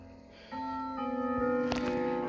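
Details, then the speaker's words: Sligh triple-chime grandfather clock, recently repaired, dial set to Whittington: clear bell-like chime notes ring one after another in a steady quarter-hour sequence; normal Whittington chime. "so we've heard westminster we've heard st michaels now we're gonna hear whittington so here we go"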